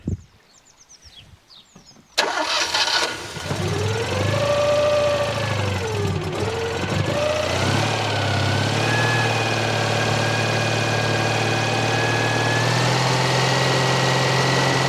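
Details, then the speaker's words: Citroen Dyane/2CV after fitting a solid-state voltage regulator: fires after a short crank, revs briefly, then settles to a smooth, even tickover with a steady pitch, charging nicely; healthy start and idle. "Tick over. It's pumping it up nicely."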